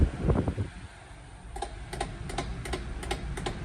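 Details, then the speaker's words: Early 1980s Marco FO3-12-B 12-inch oscillating fan: irregular clicks and snaps over fan hum and aircraft rumble as oscillation reaches one side and skips and jumps; oscillation gear skipping. "it does have another issue where it oscillates, but only to this side, and then it like starts skipping and jumping."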